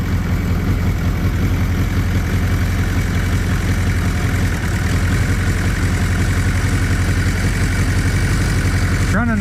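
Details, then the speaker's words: Suzuki GS850G four-cylinder motorcycle after new carb boots and diaphragms, warming at idle: steady, even low burble with no misses; all four cylinders firing, mixture screws unverified. "all right it's running a little better"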